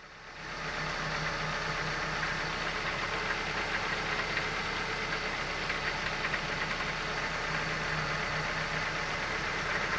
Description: Been making a racket since I've had it, but in the past week it's gotten quite a bit worse